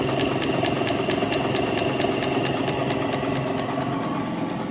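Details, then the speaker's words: 1950 Wadkin RS8 woodturning lathe running at 44 Hz (about 1,300 rpm): a steady motor hum with a light, even tick about three times a second as the belt joiner crosses the metal pulleys, a normal trait of these old lathes. "But that is a feature of uh of these old lathes that you you get this constant sort of ticking noise."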